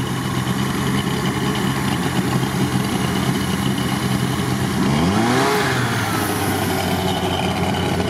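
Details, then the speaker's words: Cold LuAZ just started after an overnight no-start and water crossing; uneven low petrol idle with a brief rev, firing irregular, owner suspects electrical misfires rather than hydrolock, expecting it to smooth out at operating temperature. "Просто по электрике пропуски есть. Цилиндры ровно работают все, его не колбасит."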